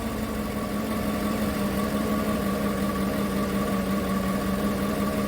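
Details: 2015 Chevrolet Tahoe, engine cold at idle, code P0300: loud idle with an uneven, stumbling beat and a wavering low hum; a roaming misfire across cylinders, mostly cylinder 1, traced to damaged spark plugs.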